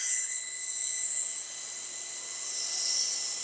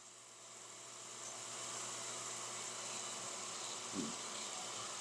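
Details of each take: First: Steady, even high-pitched whine from a peripheral water pump on a test bench running properly after the valve is released, no crackling or gravelly cavitation rattle. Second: Peripheral water pump on a test bench with valve closed, under 0.5 bar suction, water gasifying into visible cavitation bubbles; hissy rushing pump noise rises then holds steady as the pump begins to cavitate.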